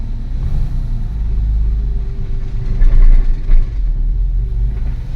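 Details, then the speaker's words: Porsche 996 C4 after clutch repair (fault was the release bearing), started and driven forward then reverse: low even engine rumble rising smoothly as car pulls away with no judder or slip; clutch engagement normal. "okay I'm moving reverse moving back you see it so yep this clutch is working properly"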